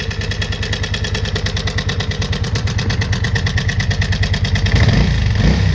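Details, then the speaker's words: February 1987 Kawasaki VN 750 Twin, 43,000 km, cold in a cold garage, at idle: loud fast even clatter like a tractor, about three a second, less audible at higher speed; owner suspects cam chain, possibly hydraulic lifters. "also hat sich ein traktor zumindest im standgas man schneller fährt hört man es nicht mehr so dann ist das motorgeräusch lauda wie das klappen aber ich denke da muss ganz dringend was gemacht werden"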